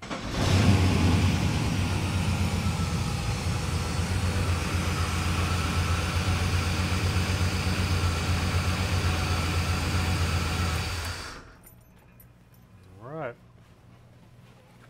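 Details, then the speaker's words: Datsun Z car, first run in a couple of years, just after fresh spark plugs, oil and filter: steady, even low idle pulse for about ten seconds with no misses or knocks, then shut off; normal idle. "sounds like she's ready think we should go take her for a spin"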